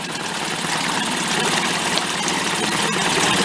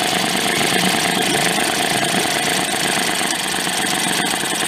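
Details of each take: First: Late-1990s Mercury 5 hp two-stroke outboard, yard-sale repair, running in a water barrel in gear with a hair of throttle after idle adjustment: steady even buzzing idle, no misses or surging. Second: Late-1990s Mercury 5 hp two-stroke outboard, yard-sale find, running before air-fuel mixture adjustment: buzzing idle with a ragged, uneven beat and some spitting, idling poorly and rough. Cause suspected, not confirmed.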